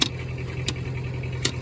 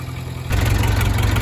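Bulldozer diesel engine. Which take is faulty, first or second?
first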